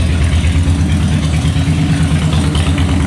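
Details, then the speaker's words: Salvage-auction wrecked 2013 Harley-Davidson Heritage Softail, just started; loud, lumpy V-twin loping about three beats a second through an open exhaust, even and steady. Sounds real good, normal idle. "I want you to take a listen to this exhaust real quick. All right, that sounds pretty good, guys. Sounds uh sounds real good."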